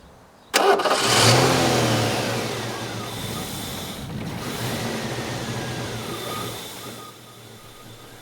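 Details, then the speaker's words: 1989 Ford Mustang LX after fuel system cleaning, running poorly: starts instantly and runs briefly but the idle sags and fades unevenly and it wants to die; cause not yet identified. "as you can see here it starts right up and uh has no problem starting uh it's just it doesn't want to idle at all it just wants to die"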